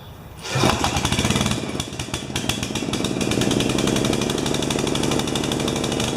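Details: 12 HP Swisher bush cutter with a piece missing from the carburettor: engine fires roughly and unevenly at wide open throttle, bogging; suspected running rich, not confirmed, possibly also running out of fuel in bowl.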